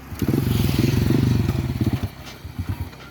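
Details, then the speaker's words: Honda motorcycle that jerks and stalls on take-off: engine surges in uneven pulses trying to pull away, then sags and dies; mechanic suspects a broken clutch spring; clutch fault. "นี่ครับอาการก็จะประมาณนี้นะครับอันนี้ถ้าให้ผมเดาก็น่าจะเกิดจากสปริงคัดคัดก้อนนะครับขาด"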